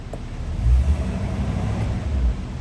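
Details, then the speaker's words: 1953 Packard Clipper, 288ci straight-eight with two-speed automatic, cold start around 30s°F after key on and gas pressed: low, soft, even rumble with no smoke, ticking or stumbling; barely audible, smooth healthy idle. "that's smooth doesn't smoke doesn't make any effort you can barely he hear the thing run"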